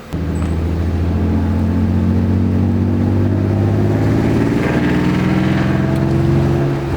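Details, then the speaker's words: Crashed BMW E36 on a drive after the exhaust leak at the header-to-pipe joint was fixed by refitting three bolts with nuts. A deep, even exhaust drone climbs smoothly with throttle with no puffing or ticking; it drives better but still backfires. "all right guys so for this drive I don't know if you can tell but the car to me drives way better"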